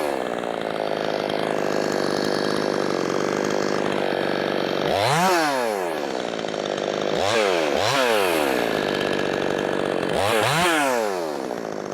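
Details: Brand-new, unbroken-in Wemars 6220 clone chainsaw, carb leaned slightly from very rich factory setting: high steady wide-open scream dipping and recovering cleanly each cut, no stutter or bogging; strong, healthy running under load.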